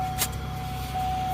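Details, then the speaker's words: Camaro with about 90,000 miles, just after starting: a steady moaning squeal over the idle. The owner suspects a dragging pulley slipping the belt, or possibly the alternator; the cause is not confirmed. "and that noise I'm hearing could either be the alternator but more than likely it's the pull"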